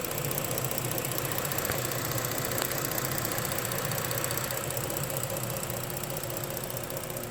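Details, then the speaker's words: 2011-2019 Ford Explorer 3.5L Ti-VCT after engine and transmission reinstallation, idling about five minutes with no drips; may need relearning. Even, settled idle with steady hum, no ticking or knocking; normal idle. "I've just been letting it run for about five minutes and no drips or anything and I'm sure it's gonna have to do some relearning or something but it's idling and sounding really good"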